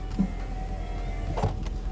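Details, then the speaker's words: Salvage 2002 Toyota Corolla LE driver's power window: a steady electric motor hum, running smoothly but a little slowly. "yep a little slow nor handle broken common issue on these so order those are seven bucks for four on eBay"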